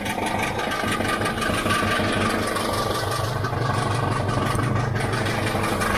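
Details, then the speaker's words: 1979 Pontiac Firebird Trans Am 6.6 big block V8, reported noisy: rough idle with loose, uneven metallic tapping; something metallic hitting, owner suspects exhaust, converter or engine. "as he was hearing when I start up on things it make a lot of noise something is hitting some metallic"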